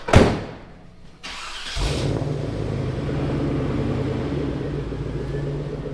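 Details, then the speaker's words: Morrvair with 250,000 miles of neglected maintenance, just fitted with new spark plugs (tune was set on bad plugs), not yet warmed up: quick crank, strong catch, then a steady, even idle with a low throb and no misses; runs smoother after the plug change. "Yeah. Sounds smoother. It started really strong."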